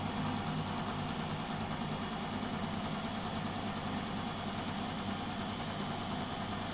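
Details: Beko WMP 601 W 6kg 1000 rpm A+ washing machine at spin speed: steady even drum whir, no grinding or scraping; the grinding heard during wash tumbling is absent when it spins.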